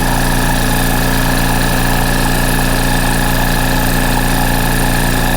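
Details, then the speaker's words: Rolair JC10 Plus compressor after switch install: steady loud piston chug with hissing rush; runs but builds little pressure, air felt from the vents, cause not confirmed. "The bad news is it's not building pressure, or at least not a lot of pressure."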